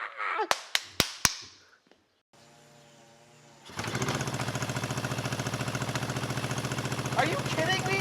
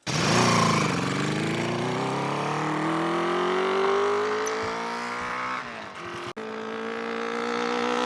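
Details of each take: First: 1974 Honda CB350F four-cylinder, first run after sitting 20+ years: clicks, then uneven loping idle on three cylinders; number three carburetor not getting fuel, as starting fluid ignites instantly. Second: 1974 Honda CB350F four-cylinder, long-stored, after clearing a blocked third carburetor: revs smoothly then settles into a steady even fast idle around 1200–1300 rpm, normal.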